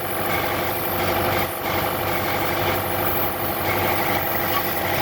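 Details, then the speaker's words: Buick Encore 1.4 turbo idling with misfire, sputtering, lean codes: steady hissing, faintly whistling squeal from a leaking PCV valve built into the valve cover, reducing crankcase vacuum; intake manifold also leaking. "so so that's a problem in the built-in a PCV valve that is sneaking"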